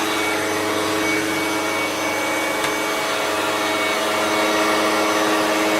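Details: Hoover Turbomaster U5094 upright vacuum after refurbishment of both seized motor bearings (fan-case one had spun on the armature shaft), running with brush roll off: steady, even motor hum with a clean high whirr, no grinding or rumble.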